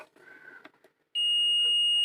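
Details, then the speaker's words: Ahuja 250 W amplifier on the bench, water-damaged: steady high-pitched multimeter continuity beep across the output transistor's base-collector that persists with leads swapped, showing a shorted power transistor. "இந்த ஒன்று வந்தபோது அதே மாதிரி கண்டினியூட்டில் base collector emitter வரும்ல, அது base கலெக்டரில் வந்து இது மாதிரி சவுண்டு வரும்."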